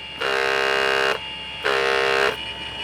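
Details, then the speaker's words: 3-inch cordless random orbital polisher (about $800 unit) at full speed without hair-tie fix: bursts of harsh buzzing drone cutting in and out as loose battery vibrates plastic against plastic in its housing; possible defect. Hair tie on tube stops it. "i guess another con which we both noticed is the battery vibrates it's like some plastic against plastic"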